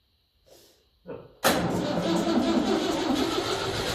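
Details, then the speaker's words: 1954 Ferguson 20 TEF diesel tractor, cold start after glow plug heating, battery condition uncertain: short crank, then diesel catches and settles into steady clatter with revs wandering slightly; normal cold start. "Okay, this is a cold start. Don't know how good the battery is. It started yesterday, but we'll see if it's any better."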